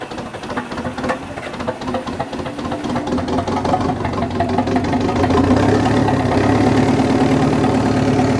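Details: Dozer at idle after replacing a failed alternator with play in its pulley: steady, even, unhurried idle beat that firms up partway through, no knocks or misses; charging voltage back in the green.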